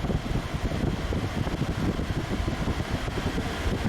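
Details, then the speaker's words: Honda Odyssey, previously blowing room-temperature air, with the AC compressor clutch now engaging: steady blower rush over an even engine hum that lifts a little with revs; vents reach 54 then 47 °F, normal air conditioning operation. "I could hear the AC clutch come on. So let's increase the fan speed here."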